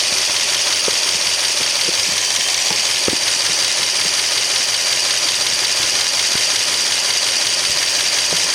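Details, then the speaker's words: 1964 Studebaker Daytona after tune-up, timing on the mark, dwell 30, about 19.5 in steady vacuum, idle 650 rpm, valves still to adjust: steady, even idle with no missing or pinging, a light irregular tick over it; running right. "Okay, we're at 650 RPM, so I think I'm going to leave it here right now for now, these adjustments."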